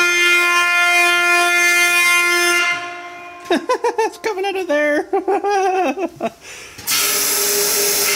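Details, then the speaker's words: Blowing out cemetery water lines with compressed air, line nearly empty of water: steady hiss, then rapid warbling, fluttering train-horn honk as the line chokes, then clean hiss again; cause unclear. "that was a funny noise I can't believe it actually caught up to itself that's freaking awesome"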